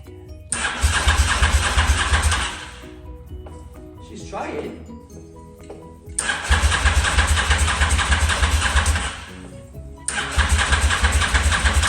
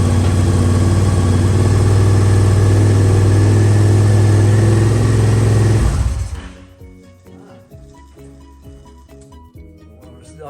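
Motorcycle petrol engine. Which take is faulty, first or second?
first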